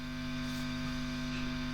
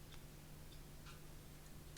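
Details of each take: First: Engl Thunder 50 tube guitar amp, possibly 2001, nothing played: loud steady mains hum and buzz, louder than the guitar signal; not a power tube fault, persists with new tubes; chassis touch-sensitive, input section suspected. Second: Engl Thunder 50 tube amp after repair of squeal, buzz and hum, new low-noise tube in V1, nothing plugged in, all knobs up: only a faint low hum, light hiss and the odd tiny tick; quiet and healthy.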